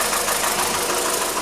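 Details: 2012 VW SpaceFox 1.6 8v warm at 90°C idle, oil pressure 1.6 bar at head and 2.9 bar at filter: fast, light, even tapping knock; suspected pinging or piston slap, ethanol-only test advised, remap if cured, else open engine.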